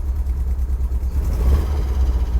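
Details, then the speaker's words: 1977 MGB, 70,472 miles, engine 18V883AE-L7967, SU HIF4 carburetor, cold on choke with a little gas to hold the idle up, good oil pressure: steady, deep low-pitched running slightly above idle, no knocks or misses; normal cold fast idle. "And you want this thing idling about 10,000 RPMs. So you might need to give it a little bit of gas."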